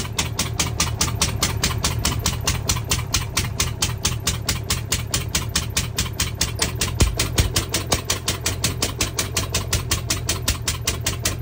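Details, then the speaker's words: Truckmount carpet-cleaner small two-cylinder engine during a compression test (one side read 120): loud lumpy chuffing of about five hard beats a second with gaps, running on one cylinder with the other cylinder dead. "okay so I plugged it into the other side it's nice and tight and reset that so this is what it sounds like running on one cylinder"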